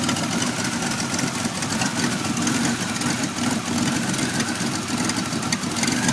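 The engine idles with an uneven, lumpy beat and a wavering exhaust note instead of a smooth hum, which points to a rough idle.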